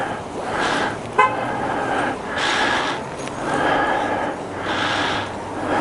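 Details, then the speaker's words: 2012 BMW Sertao G 650 GS at 3150 miles, 40.9°F outside, ongoing sixth-time starting issue: slow rhythmic cranking surges about once a second repeat with no firing; single cranks but will not start, cause unconfirmed (decompressor lever suggested). "And Barbie wants to be a bitch. She's in a I don't want to start mode."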